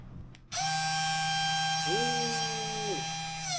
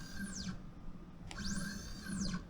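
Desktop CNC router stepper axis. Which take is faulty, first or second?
second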